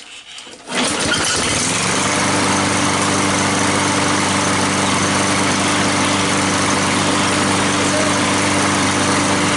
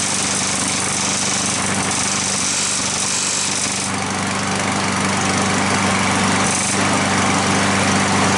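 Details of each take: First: Curbside-found lawn mower, after hammering back a piece underneath suspected of hitting the blade: catches within a second and settles into a steady, even drone with no scraping or knocking; normal running after repair. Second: Curbside push-mower small engine running at a steady buzz with a light, fairly regular tick that appears when the handle is pushed down and stops when it is lifted. Ticking from a loose engine mount.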